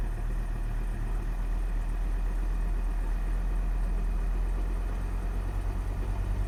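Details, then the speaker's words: Volvo XC60 D5 diesel, possibly Euro 4, cold start, accelerator floored up to kickdown: flat, labouring drone, revs take about 10 seconds to climb; hesitation felt as fuel starvation, later traced to faulty injectors. "immediately put my foot flat down on the accelerator and not as far as to push the kick down button but all the way to the kick down button um and you can see it took about 10 seconds to start revving there so it feels to me a bit like fuel starvation"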